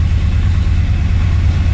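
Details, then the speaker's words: 1964 Ford Thunderbird after stuck-valve repair and top-end rebuild, restarted while watching a slow-rising oil pressure gauge on the old oil. A steady, even low idle with no clicky clatter from the top end; sounds really nice under the hood. "or that's a really slow gauge not sure but it sounds really nice under the hood"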